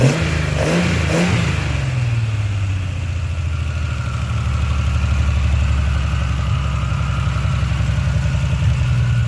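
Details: 1976 Triumph TR6, first start after a long rebuild, fitted with triple Weber carbs on a TWM intake manifold: catches after quick blips, then settles into a steady but slightly lumpy idle; it runs, but carbs still need major tuning.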